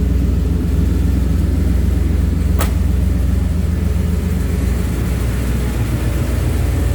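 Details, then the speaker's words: Car with Magnaflow 750 Pro-tuner fuel pump after new #10 PTFE feed line replaced deteriorating rubber line that clogged the cleaned 100-micron filter and caused stalling in reverse: deep, even low rumble, steady beat, no surges; 43 psi rock solid; normal running. "so the pump sounds way better with that new line on clean filter it also runs way better too 43 psi rock solid nice"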